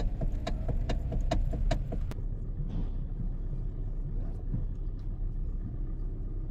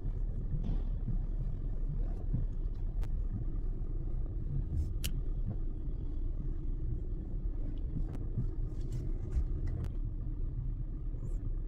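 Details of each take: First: Hyundai (i30) running, sharp knocks about four a second over idle as the steering wheel turns, from a worn steering coupler spider bushing heard from underneath. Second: Hyundai i30 at idle while steering is turned, after replacing the worn steering spider bushing that caused clunking on turns: low even rumble, clunk no longer heard; repair successful, quiet steering.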